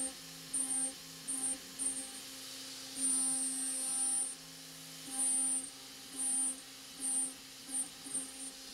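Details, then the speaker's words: Avid CNC Benchtop Pro, 2.2kW spindle, A36 mild steel pocketing at 0.25 depth, 0.03 step-over, 15,000 rpm, 50 ipm: bursts with thin high-pitched screech over spindle whine; end mill chatter on workpiece, not whole-machine shaking. "it sounds tremendously better than it did at the very beginning. Although you can still hear a pretty high-pitched chatter. But this is a chatter on the end mill and the workpiece at least and not the entire machine shaking itself to death."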